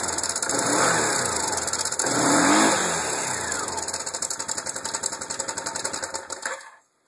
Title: Engine Noise.